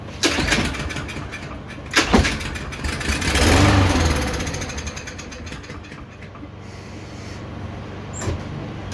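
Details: Free Yard Machines lawnmower after fuelling, with compression present and valves suspected out of adjustment: pull-start bursts, engine catches briefly and fades away instead of settling into a run.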